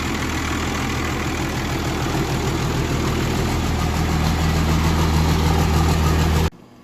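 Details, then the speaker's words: 1953 Mack A40 with a swapped 24-valve 5.9 Cummins diesel (ex-school bus) idles steadily on restart with a deep, even rumble and no knocks or misses. Normal idle; air pressure quickly builds to 60 psi, but oil pressure is unknown. "see how she knows on the restart that ain't bad does the throttle work sweet"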